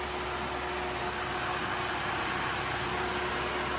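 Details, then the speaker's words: Nissan R34 Skyline at about 185°F after clutch fan removal: new temperature-switched e-fan and OEM ECU-controlled fan both running; steady, even rush of air with faint constant hum, no rattle or wobble; normal electric cooling fan operation. "Got two fans running."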